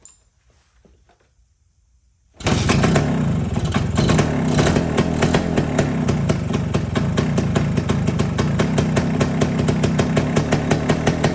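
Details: 1973 Suzuki TS250 Savage two-stroke single, barn find after 25 years, oil flow confirmed, now on regular gas before first ride: fires and settles into crisp, even ring-ding of about three pulses a second, no misfires; normal running.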